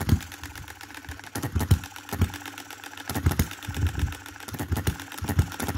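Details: 2022 Enjomor Chinese hit-and-miss engine after fixes (spare piston ring, corrected valve timing, leaded governor weights, added spring for quicker latching): single sharp bangs at uneven one-to-two-second gaps, coasting between, slow speed; normal running.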